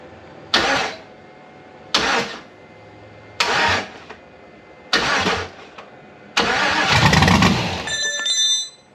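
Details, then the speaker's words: LS-swapped C4 Corvette, first start attempt with not everything hooked up: four short cranking bursts, then a fifth fires and runs a few seconds before dying. The engine is intact; the owner suspects a fuel pump issue. "So that last clip y'all did hear that mug run. So you know the engine is intact. Everything is where it needs to be. We are having an issue with the fuel pump."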